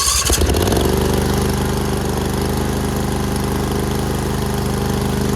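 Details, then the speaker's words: Ferris IS 2000Z zero-turn mower starting for warm-up before oil change; engine catches right away and settles to a steady, harsh, very loud drone, muffler missing. "You can really use a muffler. As you can hear, it's very loud."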